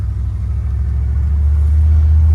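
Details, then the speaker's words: 1968 Cadillac DeVille convertible V8, odometer reading 3k, on a road test: deep rumble climbing smoothly as the throttle opens, no squeal, knock, rattle or belt squeal; good throttle response, healthy. "Throttle response is good. It's doing what I expect. No weird sounds. Engine sounds good. I don't have any belt squeals or anything."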